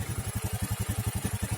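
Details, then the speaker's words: Honda Scoopy FI injection scooter (2018 or 2019) idling steadily after repair of brebet/stalling when warmed up; fuel pressure about 4.2–4.3, no longer dropping or dying, road-tested with good power; clean single-cylinder putter with no stumbling: normal idle. "Tapi ini tadi ternyata sudah aman, udah nggak mati. Kemudian udah kita tes juga jalan, tenaganya juga udah jos."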